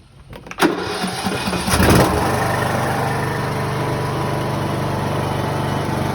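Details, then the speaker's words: Riding tractor mower with a suspected dead battery, jump-started with fresh fuel added: a few cranking turns, then it catches and settles into a steady idle; starts normally. "Let's see if it'll fire it up. Oh. Fired up, bud."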